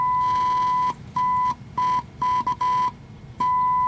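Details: RCA CTC16 round-tube vintage TV being revived, fed a 1 kHz test tone at a 5 µV RF level. A steady high-pitched tone near 1 kHz cuts in and out in short bursts as tubes are moved. A tube oscillating is suspected, not confirmed.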